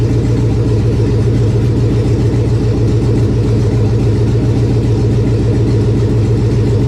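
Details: 1999 Chevy 5.3 V8 4WD junk donor pickup, first run to test the engine: a deep, even V8 rumble with a steady beat and no knocks, misses or grinding. The engine runs smoothly and healthily.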